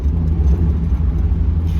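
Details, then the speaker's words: NA Mazda Miata after fixing a misfire: deep, smooth engine rumble pulling evenly under throttle with no stumble or hesitation; accelerates cleanly as it should. "accelerates really nice this is exactly what this car should be doing"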